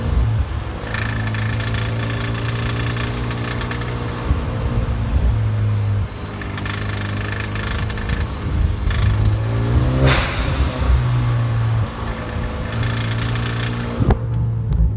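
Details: 2013 2.0T R-Spec engine: uneven light tapping over a steady low drone that comes and goes with small revs. The owner suspects engine knock; the cause is unclear.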